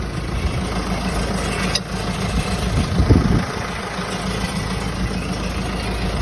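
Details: Peugeot 508 after a clutch swap: steady idle with brief intermittent metallic rattle about three seconds in, from gearbox-controls heat shield plate not properly latched and detached.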